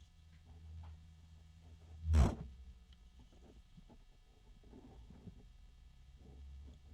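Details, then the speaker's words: Azza CUBE 360 (LCAZ-360P-CUBE) ARGB AIO radiator fan in a quiet room: a low, steady hum with faint harmonic resonance tones now and then; not a loud fan. "So there's a low hum right now. I thought I heard a harmonic resonance."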